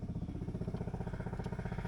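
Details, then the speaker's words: 1980 Triumph TR7 with the engine just reinstalled and timing and carburetors set, ignition key on and engine not yet running: rapid even ticking about ten beats a second as the electric fuel pump primes normally. "that's the fuel pump going and that thing there says ignition"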